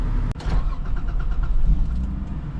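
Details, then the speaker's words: 80 Series Land Cruiser after broken exhaust repair: cranks, catches at once, settles into low even muted idle with no rasp or exhaust-leak puffing; nice and quiet, normal idle. "Oh, yeah, nice and quiet."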